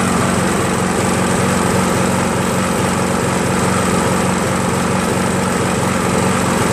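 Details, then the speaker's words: Craftsman 7HP green self-propelled lawn mower, long hard to start despite lapped valves, checked keyway and carb cleanings; after about an ounce of Seafoam in the fuel, steady even drone, no hesitation, surging or misses; runs smoothly. "I'm gonna let this run for a while [Music] as you can see it no longer hesitates nationally runs pretty smooth"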